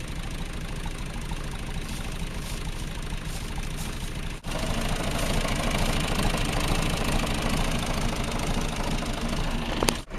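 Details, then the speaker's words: John Deere 2150 diesel tractor, cold start after sitting almost two weeks, low battery. It fires right up and settles into a steady, even low chug with no knocking or stumbling; healthy engine. "chic fire right up this tractor always runs no problem so I knew it start right up"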